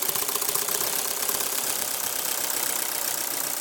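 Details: Ford Focus petrol engine idling with an uneven, ticking beat: misfire with spark leads being tested one by one, suspected faulty coil pack or leads.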